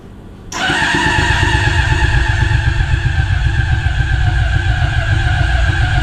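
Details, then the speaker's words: Honda CBR600RR engine in off-road go-kart, injectors not yet feeding, no coolant, starting fluid sprayed: cranks then catches into a rough, low, uneven pulsing run; fires briefly on starting fluid. "I did a dry run before I turn the camera on but you can kind of hear it it starts to did it did it so"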